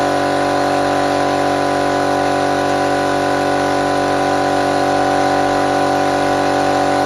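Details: Restored air compressor fired up for the first time after refurbishment, no water trap fitted yet: steady even motor drone with constant mid-pitched hum and no knocks or surges; normal running.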